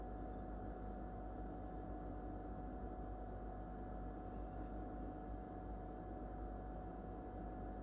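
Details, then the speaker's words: Whirlpool No Frost Inverter refrigerator in its first months of use, phone microphone held very close, running: steady, even low hum with a faint constant tone, no rattling or cycling; normal inverter compressor running hum. "bueno en estos momentos está funcionando la heladera yo voy a callarme unos segunditos voy a tratar de poner el celular lo más cerca posible para que ustedes puedan apreciar si tiene realmente ruido o no"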